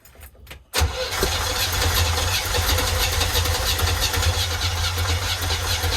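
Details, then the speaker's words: 1972 Winnebago Brave with a 350 Chevy V8, first start after a major failure, carburetor fitted and no coolant. It catches after brief cranking and runs rough and uneven, possibly on seven cylinders. "uh doesn't sound good guys doesn't sound good it is running on all eight cylinders i think well maybe seven cylinders could be seven"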